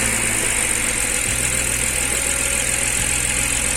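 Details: BMW idling right after start with an uneven, lumpy beat and shaky low rumble, whole engine vibrating; owner reports it sometimes won't stay running; rough idle or misfire, cause not confirmed.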